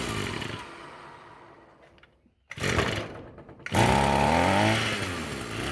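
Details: Roadside-found Echo SRM-210 two-stroke string trimmer after replacing the purge bulb and straightening the bent idle screw to raise idle: catches and settles into a steady, even buzzing idle without stumbling; running properly.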